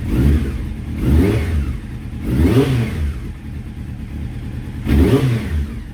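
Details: Honda CBR600F motorcycle, rough idle on first start after rebuild: lumpy stumbling beat with uneven rev blips, sounds like missing on a few cylinders; exhaust pipes of cylinders three and four much hotter than the others; cause suspected, carburettors to be removed.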